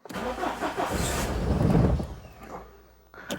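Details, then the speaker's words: Citroen GSA with air-cooled flat-four, not run for ages, mild day, no glow plugs as it's warm: labored cranking that catches late, stumbles and settles into a rough uneven lumpy idle; hard starting. "I would say that's not overly happy oh there we go"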